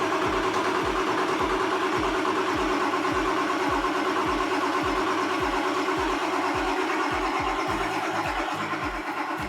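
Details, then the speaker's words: Ford F350 7.3 Powerstroke with a hard-start/long-crank fault, on a jump pack: even cranking at about three compressions a second for ten seconds, never catching; seems to spin too slowly. Starter relay heats with key on, resistance source unknown. "okay we got a jump pack hooked up here and it really doesn't sound like it's spinning over fast enough"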